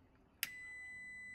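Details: Toyota Hilux GGN25R with an intermittent headlight/park-light switch: wiggling the switch gives a click, then a steady high beep once it makes contact, meaning the park lights are on.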